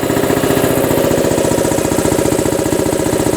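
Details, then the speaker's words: New 2015 prototype BendPak TS-5 80-gallon compressor, 5hp electric motor, cast-iron two-stage pump, first run after switching on the breaker: fast, even chugging, quiet, no pipe vibration, knocks or rattles; healthy. "so circuit breaker is on it is live now for the pressure switch pretty quiet too there's no vibration in these"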